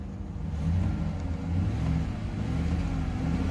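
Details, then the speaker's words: V8 engine revving with a deep rumble and an uneven, stumbling, missing beat, plus some valve clatter. A compression test showed surprisingly good compression, so the misfire cause is unclear. "that don't sound good at all you can hear it missing too"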